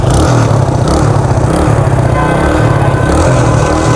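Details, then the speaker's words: TVS Apache RTR 180 idling with a dull, uneven exhaust note and loose rattle instead of the original sound; the silencer support has come loose, nuts likely loosened, silencer shaking. "जो bike की original आवाज़ आती थी ना वो अब आ नहीं रही और खड़खड़ की आवाज़ आ रही है।"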